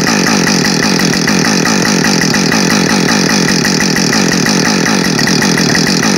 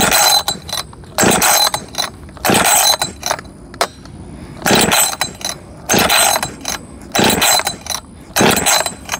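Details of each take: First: New Husqvarna 562XP Mark II chainsaw, first-ever run, warming up before timed cuts: steady high revs with even rapid firing, no surging or missing; normal running, found its tune quickly. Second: Husqvarna 562XP Mark II chainsaw, first start attempt, fueled and oiled: repeated pull-cord rips, never fires; coil wire not pushed fully onto spark plug after compression test, so no spark.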